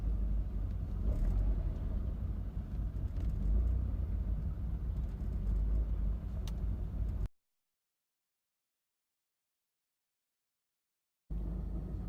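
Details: 1985 Mercedes-Benz 190E: low, uneven chugging idle with wavering rhythm and no steady beat; rough idle, cause unknown.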